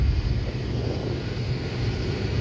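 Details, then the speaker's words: 2006 Honda Pilot, nearly 200,000 miles, with a newly replaced blower motor on high: a strong, steady rush of air with an even hum and no rattle or squeal. The old motor screamed, smelled burnt and blew weakly. "But oh yeah, holy cow. Yeah, I would say the other one was bad because I didn't have that much of a volume before."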